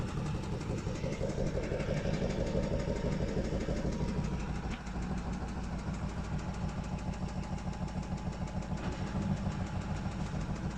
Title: Стиралка стучит